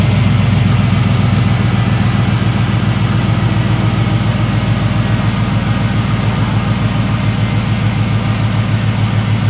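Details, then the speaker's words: 1973 Chevrolet C10 with an LS swap, long-tube headers and no cats: a deep, even V8 burble at steady idle, exhaust quieter than expected, no ticks or misses. Normal idle. "Exhaust is pretty quiet, a lot quieter than I thought it would have been."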